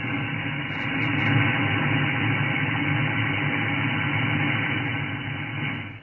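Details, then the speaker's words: SDR receiver on a half-wave antenna used for 40 and 80 m: a steady rough hiss with a low buzz at about an S6–S7 noise floor. Switching the power supply off and on shows some of the lines come from the power supply; the source of the noise is not confirmed. "i turn the radio on and it's more vivid so uh those i have found out um that's the power supply doing that"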